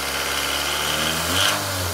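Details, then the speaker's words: Engine in a Rav4 build, restarted after an 11–12 psi dyno pull: light, fast metallic rattle over a rough idle, suspected from the head. Valve train rattle from low oil pressure and sludge. "Although, yeah, it sounds like something in the head, to me."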